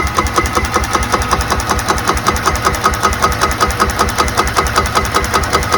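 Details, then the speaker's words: Golf cart engine running with a spark tester in line: crisp, even snapping about 158 a minute across the gap, a strong healthy spark shown for comparison with the Cub Cadet ZTS2 mower, which lacks such spark. "See that? That's a good spark. We are not getting that on that thing."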